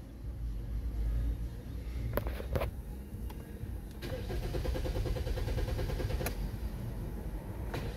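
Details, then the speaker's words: Engine starts and runs with no codes, then stumbles with a few uneven thumps and cuts off abruptly; owner suspects a fuel pump or fuel pump control module failing when hot. "Um, it's very possible that it's a fuel pump that's dying when it gets hot. Fuel pump control module. Something malfunctions when it Oh, something just malfunctioned."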